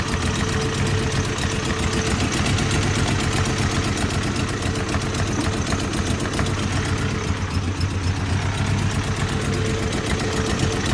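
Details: Toyota 22R four-cylinder: uneven, loping rough idle with faint irregular patter; cause not pinned down.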